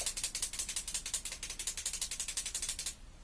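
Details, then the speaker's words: Truck with ticking/rattle from underneath persisting after universal joint replacement; fast tinny metallic rattle about three buzzes a second over quiet idle, traced to hidden broken weld on muffler/tailpipe bracket: exhaust bracket rattle. "finally finally the bracket that was holding the muffler the tailpipe area the world had came undone but you would not have been able to see it"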